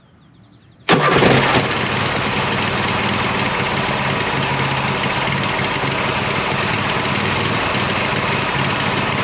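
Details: 26 HP Kohler V-twin lawn tractor with two cheap aftermarket ignition coils fitted, cold start. It kicks back harshly, runs very rich, then stumbles with a ragged beat, sputtering at full throttle. Refitting an old coil improved it, so the cheap coils are suspected faulty.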